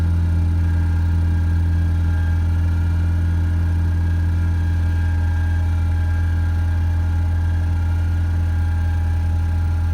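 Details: 2.0 EcoBoost-swapped Ford Ranger cold start after cleaning carbon off intake valves and oil change: steady, even idle with no stumbles; previously misfired, stalled and set P0507.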